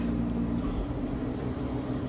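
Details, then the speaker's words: 1970 Gibson Air Sweep window air conditioner, grille on, fan-only mode on low speed: a soft, even whoosh with a steady low hum, no knocks or rattles; normal. "it actually jolted the window a little bit all right that's a low fan"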